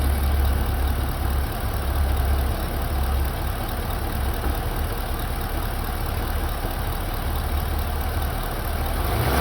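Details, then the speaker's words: Chevy SS LS3 V8: steady idle-speed run with a faint light tapping about four a second, apparently from a rear cylinder on one side; owner suspects a lifter issue, plans to pull coils and valve covers. "seems like it's coming from back here on this uh cylinder over here and like I said I I think it's it's a lifter issue"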